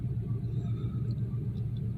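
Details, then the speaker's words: 1993 Chevy Lumina restarted after sitting about six days, where an idling issue had appeared. A low, even rumble with no misses or hunting, idling down a little as normal. Normal idle. "sounds normal idle down a little which is normal"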